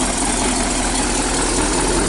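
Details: 1959 Chevy Viking 60 car hauler with a 396 big-block V8 running on a racing fuel cell, idling steadily with a smooth low rumble and no knocks, misses or ticks. Oil pressure is good.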